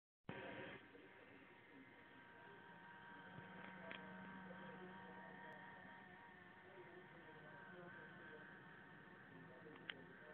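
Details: Lenovo ThinkPad X300 laptop gives a warbling, uneven whine from its failing cooling fan, sometimes getting much louder; fixed by replacing the fan.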